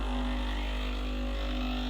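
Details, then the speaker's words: Breville BES870 pulling a programmed double espresso shot (about 40 g): pre-infusion pressure, then full pressure at 12–1 o'clock on the gauge. Steady, even buzzing hum without stutter or surging; normal pump operation. "pre-infusion pressure and then full pressure it's very good should always end for about 12 o'clock one o'clock pressure"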